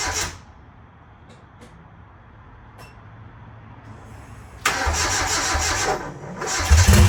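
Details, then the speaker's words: After a rebuild following head stud damage from 50 psi boost and over-torqued head studs, this 850 hp engine is reassembled and test-started. Near silence, then it fires at about 4.5 s and runs loud and even with no odd knocks or rattles: a normal start-up. "I'm just going to start it up now just to kind of check everything see if there's any weird noises um that way if I have to rip it back apart I can we're going to do a crank test"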